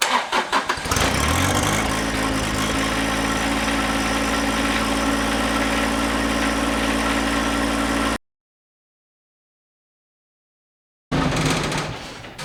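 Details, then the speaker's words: John Deere 1025R diesel tractor during seasonal service after oil and fuel filter change, key-on fuel pump purge before cranking: brief crank, catches at once and settles into an even, steady idle with no misses; healthy start. "always let it turn the key on and just let it go for a little while let that fuel pump Purge everything out and then fire it up"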